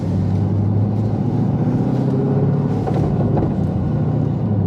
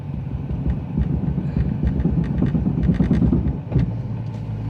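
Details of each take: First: LS3 6.2 L swapped BMW E46 3 Series on a cross-country road trip, driving after a two-hour roadside fix: even, deep road rumble and steady engine drone with no grinding or clunking from the rear end; now feels more solid. Earlier the diff was known bad and noisy, clunking on every shift. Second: LS3-swapped E46 BMW 3 Series on a road trip, engaging gear after stopping in traffic: low engine rumble with uneven bad grinding bursts from the rear. A differential bolt had backed out.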